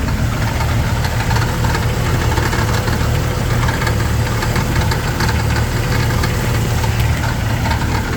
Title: Jeep TJ Rattling Noise